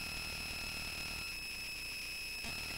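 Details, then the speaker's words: Bare Conductive Touch Board audio output: constant high-pitched whine with steady tones around 3 and 5 kHz over hiss; noise got worse when the input power source was changed; owner suspects poor filtering, cause unconfirmed. "all right and I'm going to meet that because that is a very annoying sound and I'm not quite sure Watson noisy and it actually got worse when I change the input power source"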